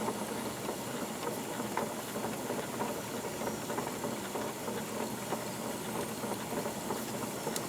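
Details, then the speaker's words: Wilesco D22 model steam engine at low speed: soft, even chuffing with a steady hiss at roughly three beats a second. Smooth normal running. "you can see the overall operation of the engine it's very very smooth even at lower RPMs like this no problems"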